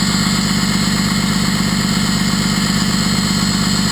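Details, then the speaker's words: First-gen truck with 6.2 liter 24-valve VE-injected Cummins; exhaust brake engaged, switch with unsoldered wires had been pulsing it on and off; loud steady roaring drone with throaty pulse and jet-like rush, exhaust brake working normally. "It sounds pretty good though. Sounds like a jet engine, I'd say."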